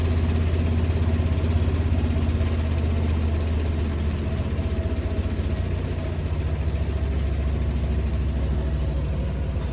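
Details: Bosch appliance running: loud steady low drone with a rough throb pulsing about twice a second, constant throughout; odd noise with no clear cause.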